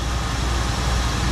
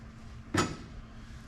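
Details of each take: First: 1974 Ford Bronco carbureted engine after replacing both fuel tank senders and getting fuel to the carb: steady, low, even rumble at a fast warm-up high idle, no knocks or misses; smooth and healthy, oil pressure and charging good. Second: 1974 Ford Bronco, fuel tank out for rust repair and both sending units replaced, lines empty: starter spins the engine at a steady four beats a second for several seconds without catching; no fuel reaching the carb.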